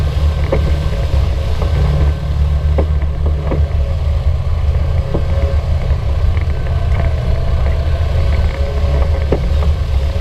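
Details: 2016 Polaris RZR 900 Trail, knocking from the back right while driving: irregular hollow knocks over engine drone and trail noise; reproducible by rocking the side frame; owners suspect the sway bar, source unconfirmed.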